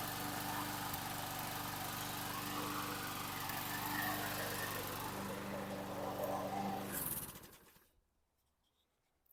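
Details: 2011 Troy-Bilt 21-inch self-propelled mower, 725EX engine, after carburetor cleaning, new bowl gasket and tank cleaning: steady even run with light burble; still a little smoky. Smoky running.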